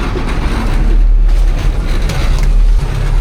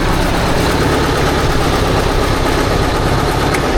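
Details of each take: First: 1972 Diamond REO C116 truck with Detroit 8V71 diesel, sitting since about 2006, restarted after the air shutdown flapper tripped: deep, even rumble holding a steady idle with no knocks or misses, very smooth. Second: 1972 Diamond REO C116 truck with 8V71 diesel, sitting about 20 years: rough running at a steady beat, then it cuts out with a spraying hiss; a power steering hose is suspected to have blown.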